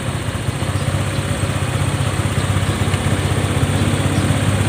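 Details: Honda Click 125 scooter after repair (clogged injector, new spark plug, failed sensor replaced, cylinder head leak fixed, clutch cleaned): even soft low putter idle, no knocks or rattles; smooth healthy idle.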